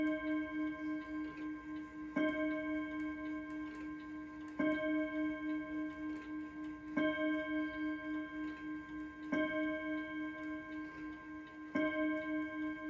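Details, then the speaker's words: Ansonia mantel clock striking the full hour: clear ringing gong tones about every two and a half seconds over a steady tick, the strike sounding uneven; owner suspects a chime issue. "I think this thing has a little bit of a CH issue I do not know now it could be just me but I do not know but I'm going to let you guys listen to it and see what you guys think"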